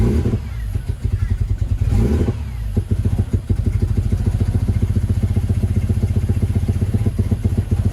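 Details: Ford Barra six-cylinder, just jump-started: lumpy, uneven, rough exhaust beat at a raised idle near 2000 rpm, not cammed; intake manifold gasket vacuum leak.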